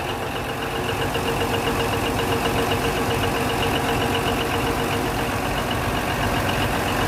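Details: Denyo DCA610SPM diesel generator, restarted after magnetic pickup (1.3-1.4 ohms) and its wiring tested good: runs smooth and even at a steady idle with no misses, knocks or hunting; normal running.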